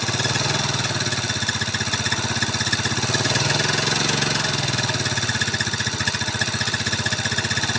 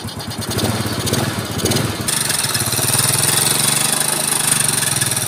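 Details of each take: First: Yamaha Mio carburetor scooter, upgraded, fitted with Supra carburetor, idling; harsh rattly rough idle with clatter from the cylinder head and gritty noise from the block/piston. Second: Yamaha Mio scooter after restoration, Supra carburetor with no air filter fitted so intake hiss, intake covered for clarity; quick even putter with no ticking or knocking, very smooth normal idle.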